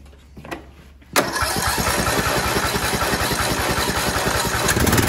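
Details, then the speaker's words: Sears Craftsman tractor with a Briggs & Stratton single-cylinder OHV engine, after replacing the fouled plug with a new NGK: fires at once and holds a steady, even idle; heavy plug carbon suggests a possible head gasket problem. "okay so from square one to right now this one was not that difficult but it was a it was a little bit of a process to figure it out"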